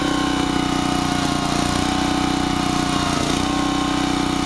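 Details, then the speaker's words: Generac 750 W generator with air cleaner fitted, choke fully opened, before mixture adjustment: steady even buzz at constant speed, no surging or hunting, running smoothly; output 137–140 volts. "can see I didn't touch it it was running nice and smooth when I opened that joke"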